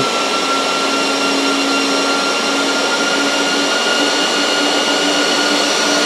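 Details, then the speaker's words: Dell PowerEdge R730 server: steady loud jet-like roar with constant hum and thin high whine; server fans at full speed. "yeah sounds like a jet plane"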